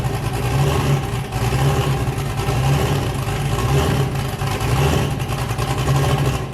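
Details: Boosted car "James Brown", new cam fitted, just started before warm-up: deep loping V8 idle with a rhythmic lope about once a second, choppy but even on all eight. Normal lumpy cam idle.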